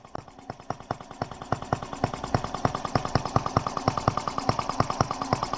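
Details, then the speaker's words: Microcosm R18 model engine, a replica of the 1886 Benz Motorwagen single-cylinder engine, first start after unboxing and tuning: crisp, even exhaust pops about three per second with no misses; runs remarkably smoothly, though the engine is fussy. "Remarkably smooth. This is it, guys. I mean, it's sitting here running."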